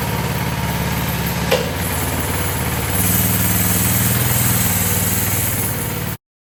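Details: Coleman CT200 minibike with Predator 212cc single-cylinder, new VM22 aftermarket carb, new throttle, clutch and jackshaft chain: steady even thumping idle with slight rise midway, then shuts off; runs smooth, normal idle.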